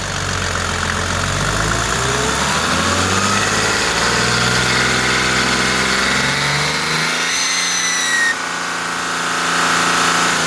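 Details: Mercedes OM606 diesel engine revved up and down twice, with a thin high-pitched screech rising and falling with engine speed.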